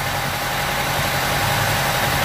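A petrol engine idles with a low, uneven throb, the rough, lumpy beat of a misfire.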